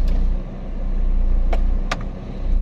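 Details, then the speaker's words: 2006 Honda Jazz CVT, which dropped rpm and clicked in R or D, after a CVT reset and start-clutch calibration, AC on: low, steady idle in reverse with no rpm dip and no gearbox clicking; normal idle in reverse. "Oke sekarang Coba posisi R posisi R juga lebih stabil dan untuk sementara waktu ini bunyi tidak muncul ya belum muncul ya oke"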